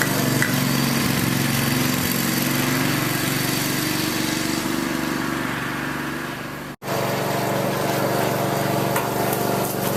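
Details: Craftsman lawn tractor after no-start repair with new carburetor parts including float needle valve, idle over a year, full gas tank, warming up: steady, even small-engine drone with constant pitch, no knocks or misses; normal running.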